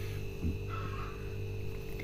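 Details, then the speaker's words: LG double-door fridge, ice melting complaint, compressor tested on direct power via extension cord: smooth constant low hum with no knocks, clicks or surging; compressor running cleanly and healthy. "তো viewers, দেখতেই পাচ্ছেন আমাদের compressor smoothly চলছে। তো viewers, এই যে compressor চলছে দেখতেই পাচ্ছেন আমাদের যে কম্প্রেসার, কোনো রকম সমস্যা নেই, আমাদের কম্প্রেসার চলছে।"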